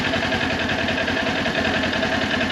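Steady, even idle with a smooth quick beat and no knocks or misses; this bike is ticking over healthily in neutral.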